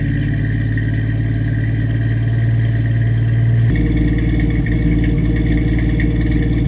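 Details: 1989 Jeep Wrangler YJ, 4.2L inline-six, Weber 32/36 carb, new exhaust with Flowmaster 40 muffler, no cat or resonator. At startup and idle, the loud lumpy beat stumbles occasionally. The owner suspects a misfire and hopes new plugs, wires and an HEI distributor fix it.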